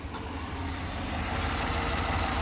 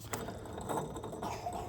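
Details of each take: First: 2015 Chevrolet Tahoe V8, 165,000 miles, just after a water pump replacement, cold oil, AC on: smooth, even idle with the earlier grinding bearing noise gone and lifters slightly noisy; sounds normal. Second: 2015 Chevrolet Tahoe V8 with grinding bearing noise cold or hot; belt removed, water pump spun by hand: dry gritty ratcheting rasp instead of smooth spin; worn water pump bearing, tensioner pulley fine.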